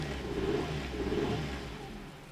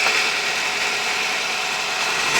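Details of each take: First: 1997 Nissan Almera/Pulsar N15, GA14DE, about 162k km, first start after sitting about 9-10 years: engine falls from a rev to a lumpy, stumbling idle on only 2-3 cylinders, blamed on fouled spark plugs; multi-cylinder misfire. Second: 1997 Nissan Almera/Pulsar N15, GA14DE, about 162k km, revived after about 9–10 years sitting. It idles evenly on all four cylinders with a couple of rev blips; a coolant leak remains.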